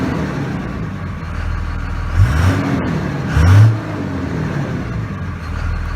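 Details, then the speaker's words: Start of a 2001 Dodge Ram 2500 Cummins 24v diesel at 276,000 miles, manual in neutral, after a new VP44 injection pump replaced the failed one (injectors were fine): steady smooth idle, two clean rev blips, no stumble or knock. Healthy. "oh and start the engine beautiful runs very smooth"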